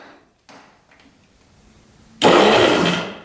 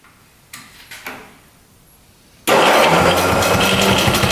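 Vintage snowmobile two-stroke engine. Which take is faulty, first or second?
second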